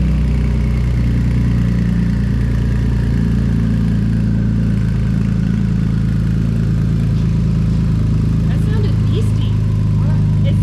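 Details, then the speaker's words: Ford Police Interceptor Utility (Explorer), first start after replacing twin turbos and reassembly: very loud, raw, deep drone with a harsh edge at steady revs; exhaust thought not connected, nothing coming out of the tailpipe. "Oh, I don't think it's hooked up. That's why. >> There's nothing coming out of the exhaust pipe."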